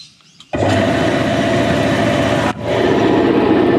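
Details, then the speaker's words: Air compressor after removing bulged fan shroud that was causing a metallic bearing-like noise: steady even motor drone and smooth pump beat, no rattle, building pressure to a little past 7 bar; normal running. "it's going up a little bit past seven now I'm just gonna back it off until I hear the pressure switch go"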